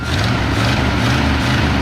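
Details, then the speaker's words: 1963 Ford Fairlane 500, 260 V8, first start after 14 years: deep, smooth, even rumble with a clean steady beat, no knocks or stumbles; healthy idle, a little smoke, sticking throttle spring. "Good Lord, what a Ford. That 260 sounds good, old man. Oh, leave it. She's idling."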